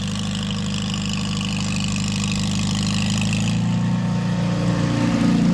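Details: 1949 Farmall H tractor revived after sitting roughly 10–20 years: steady, even idle with a deep regular beat settling a little heavier partway through; sounds more loaded but smoother. Smooth running.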